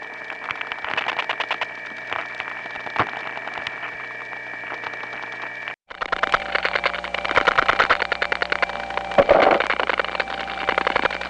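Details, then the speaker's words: Faint steady tones with irregular clicking, a brief dropout, then louder clatter, in a step-by-step environment (1976-1981 analog network): crosstalk from other trunks via capacitive coupling of wire pairs running side by side for miles. "here here are a few more of this type of recordings again cross talk from other trunks in a step-by-step environment"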